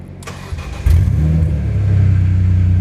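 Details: S54 engine swap, first start after fixing fuel pump priming and blown fuses, 255 fuel pump, battery charged plus booster pack, oil topped off: starter catches within a second, steady even idle with smooth deep exhaust, no knocks; normal.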